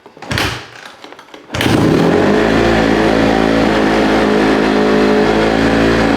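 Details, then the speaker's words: 2008 Honda CRF150RB dirt bike, carb issue, fresh spark plug fitted: fires after a short crank and settles to a fast, steady idle that stays high instead of dropping; dying on throttle fixed, hanging high idle remains. "I'm still getting that hanging high idle"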